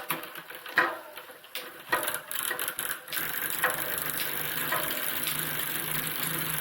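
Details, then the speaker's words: Planet X TT time-trial bike on the stand during gear setup after frame recolour; light quick ticking from rear hub as wheel coasts with cranks still, normal freewheel pawl noise. "that noise is the uh the freewheel now caught it back up again"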